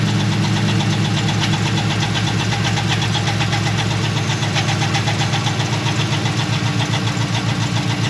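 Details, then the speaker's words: 2011 Chevrolet Camaro SS, LS3 6.2 V8 with straight exhaust and long-tube headers, idling, camera mic at front: quick steady ticking about four per second over rumbling idle; owner suspects worn roller lifter. "problem is is before I parked it started hearing a weird noise and pretty sure I know what it is"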